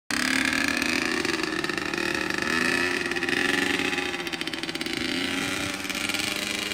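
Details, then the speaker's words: A 2003 Honda CR85R two-stroke on its first ride after a full motor rebuild, being broken in with heat cycles and not ridden hard. The engine is crisp and buzzy, rising and falling with the throttle, clean with no rattles. Normal, healthy running. "That's the first ride after the full motor rebuild. Can't be ripping it like that. Gotta break it in."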